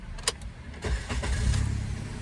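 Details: Maruti Wagon R petrol engine after a cracked cylinder 2 coil and spark plugs were replaced for a P0302 misfire and codes cleared: a click, a brief crank, then it catches quickly and settles into a steady, even idle.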